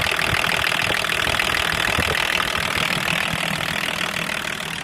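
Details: BMW 524td M21D24 diesel that had loud valvetrain knocking, after full valve adjustment: steady, even idle with light, regular valvetrain tick and no heavy knocking; valves now sound correctly adjusted.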